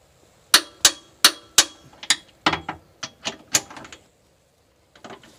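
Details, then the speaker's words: Torque wrench clicking crisply, about eight clicks in four seconds, as it reaches set torque on the Curt 13245 class 3 hitch receiver bolts on a 2010 Jeep Liberty; a normal click at set torque. "okay so that's how you know that you've reached the torque you'll hear that little clicking"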